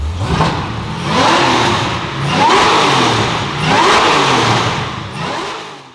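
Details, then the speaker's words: Supercharged LS-swapped 1973 Chevy Caprice with new custom 3-inch stainless X-pipe exhaust and Stainless Bros mufflers: three clean, deep revs rising and falling smoothly, no rattles, misses or leaks; healthy V8. "I can't wait to hear what these stainless bro mufflers rocking and rolling sound like, so let's get to it."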